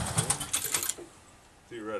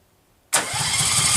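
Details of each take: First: Case 446 garden tractor during restoration, after rewiring the ignition to get spark, carburetor solenoid clicking: the engine catches at once and settles into a steady, even low idle with no throttle linkage, no misses or knocks. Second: Restored Case 446 tractor, first start attempt after rewiring, choke pulled, throttle cable unhooked: starter spins engine with even chugging pulses but it never fires; owner suspects no spark.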